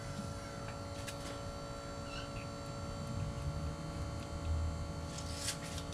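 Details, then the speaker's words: Suzuki Samurai converted to a 1.6 VW turbo diesel, during priming. A faint steady electric hum over a low background rumble is the installed electric fuel pump pushing fuel through the system to purge air. "what you hear what you probably hear is the electric fuel pump that I installed and it's pushing fuel through the system to help get the air out"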